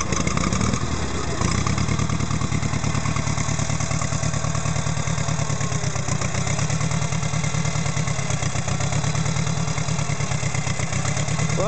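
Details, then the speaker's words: 1952 Case VAC tractor, first run after years sitting, following stuck valve, bent pushrod, electrical, throttle and choke repairs, started on ether: uneven, lumpy, irregular low chuffing at slow idle, little smoke; rough running, owner expects carburetor work needed. "think I've got some carburetor work in the future is running and I don't see a lot of smoke coming out"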